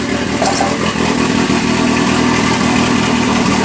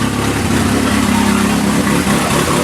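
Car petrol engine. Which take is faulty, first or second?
first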